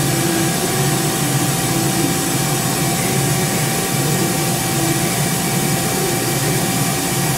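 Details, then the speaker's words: Live tool gears on a 2005 Mori Seiki 1500SZ turret, turned on manually at 6,000 rpm to check the gears inside: steady high-speed whirr with even gear whine, a little noisy but no knocks or grinding, normal. "so you just manually go through that that's fine that gets a little noisy at 6,000 it's okay I got it I'd rather hear the noise and and and know that there's no"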